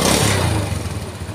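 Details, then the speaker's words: 4-stroke motorcycle after replacing crumbled clutch cage: smooth, even low engine note in gear with no knocking or clatter; rough-in-gear noise fixed, running healthy. "Alhamdulillah udah sembuh guys masalah Cuma ada di Cage yang remuk ini ya yang hancur ini"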